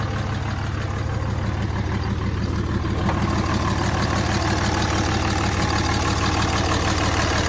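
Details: Replacement short block in a 2003 Cummins 5.9 diesel, a 3500 single-cab dually 6-speed reportedly run out of oil, freshly test-fired: steady, even clatter at idle, about three beats a second, no misses or knocks; healthy idle.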